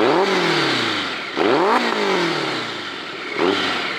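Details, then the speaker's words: 1990s BMW K1100RS four-cylinder sport bike, 100 hp, one owner, bought at auction as a non-runner, now started and revved hard with loud open-pipe blips climbing sharply and falling back cleanly with crisp pickup, sounding healthy and eager. "i mean this thing sounds wicked at what is it 90 000 rpms 8 000 rpm"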